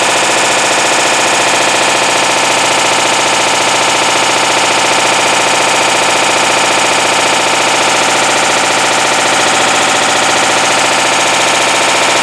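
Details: 2012 Hitachi BeatWash BW-D8KV washer, 8 years old, second occurrence: loud harsh grinding clatter at about two or three hits a second through wash, rinse and spin; the clutch has failed, caused by overloading.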